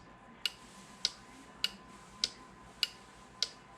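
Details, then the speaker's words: Four-pin 12-volt automotive relay on a relay tester: crisp, steady clicks about every 0.6 seconds with a solid green light, confirming a good relay. "clicking and now I have a solid green light what that tells me this is a good relay"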